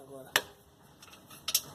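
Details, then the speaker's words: 2015 Hyundai HB20S with loud noise from the front, mostly on cobblestone streets. Sharp, bright clacks came from a small stone trapped inside near the front suspension, not a suspension fault. "um barulho ensurdecedor o cara pensa aqui a sua apesar da suspensão pelo que não tem nada a ver pedrinha até aqui dentro"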